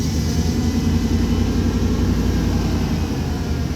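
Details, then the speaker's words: 1993 Chevrolet truck idling steadily and evenly without misses or knocks after replacing the ignition module under the distributor, which cured a no-crank/no-start; runs normally. "Got it cranked up and running. This is a 93 Chevrolet truck."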